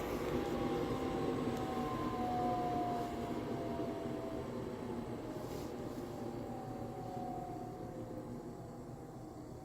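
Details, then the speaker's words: Diesel heater installed indoors on a power supply with battery backup, switched off: fan whine glides smoothly down over several seconds as the motor spins down, keeping low current until temperatures change; normal, clean shutdown. "Now, it's not going to completely shut off. There is going to be a little bit of current, still a low current until the uh temperatures pick up in there."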